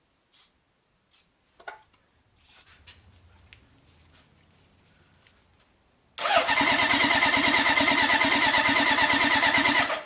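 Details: 1978 Honda CB750 K8 four-cylinder, first start during rebuild, with a battery booster, temporary fuel supply and reinstalled carburetor: quiet clicks and handling, then it bursts into life and holds a steady, even-firing idle.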